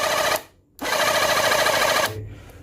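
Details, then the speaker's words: Battery-powered portable jet cleaner (Reaim) that had been dead, humming without turning. Tested after the rotor's grease was checked and its housing reassembled. Pump buzzes in two short, even bursts with no grinding or labouring. Pump, piston and motor running normally after repair. "Sudah kembali normal ya, Teman-teman ya untuk pompanya dan untuk pistonnya dan juga untuk dinamonya."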